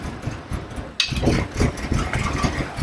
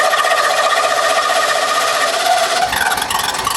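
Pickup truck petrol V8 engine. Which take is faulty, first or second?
first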